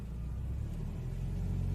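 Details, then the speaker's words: Toyota Etios, automatic, in Drive with the brake held, under load after the belt tensioner and belt were replaced: a deep, even rumble builds smoothly with revs and there is no belt squeal or chatter. The earlier noise is gone. "a diferença do barulho ó interferência do barulho acabou o barulho tensor de polv eu troquei o tensor e a correia né"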